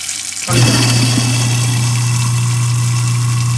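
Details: After clearing a jam by removing a lodged screw, the kitchen garbage disposal that had only hummed spins up with water to a steady, even hum with no rattling, grinding or stalling; running normally after repair.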